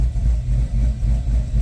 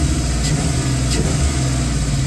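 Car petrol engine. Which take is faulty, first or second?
first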